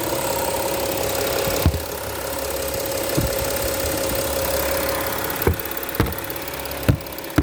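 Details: Steady idle from a 2015 Porsche Cayenne Diesel with light top-end ticking from the injectors and high-pressure fuel pump; normal diesel injector tick at idle.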